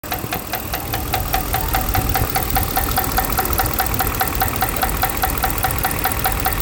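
Sharp, regular tick about two to three times a second over the idle, steady with engine speed; a knock with no known cause yet.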